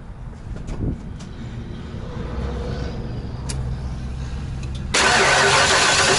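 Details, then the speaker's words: RV tow vehicle engine started: cranks, catches and settles into a steady idle with no tick, knock or rpm dip before a loud fan rush covers it; earlier noise gone, small passenger-side exhaust leak starting. "so far so good yeah I don't hear it yeah it definitely doesn't make the noise that it did"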